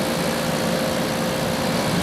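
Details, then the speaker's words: 2003 GE 12,400 BTU Samsung-made air conditioner after cleaning, condenser fins straightened, running continuously at about 11.3 A and 1,259 W: steady hum and airy fan rush with no knocks or cycling; blowing cold and running normally. "It's been running the whole time. We've gotten up to about 11.3 amps and 1,259 watts. And it's blowing nice and cold. Working just fine."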